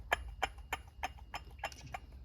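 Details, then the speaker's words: 2017 Chevy Malibu water pump, removed, shaft rocked by hand: regular dry clicks about three a second from worn internal bearing rubbing, the source of the noise; pump being replaced with new one. "so when they go back they start making noise because they're rubbing against each other and um that's how the noise started came coming from the model"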